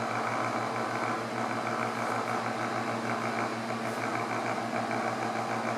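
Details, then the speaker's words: Honeywell table fan after cleaning and lubricating the bearings: steady motor hum with a fine, fast, even rattle throughout; the rattle persists, later traced to loose shaft end play letting the rotor shuttle. "we still got our rattle I'm going to guess one other thing it's still rattling"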